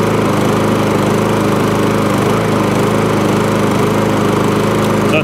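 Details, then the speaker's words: MTD push mower, after the packed foam air filter was taken off. It holds a smooth, settled, even idle with no surging or hunting; the idle has come down and it is running properly. "so it was a proper air filter in there idle's down lovely there was a new air filter in there"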